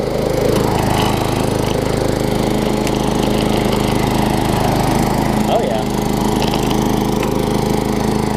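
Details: Craftsman self-propelled mower with a Tecumseh engine, after a carburetor swap: even, steady buzz at constant speed with no surging, misses or knocks; runs smoothly.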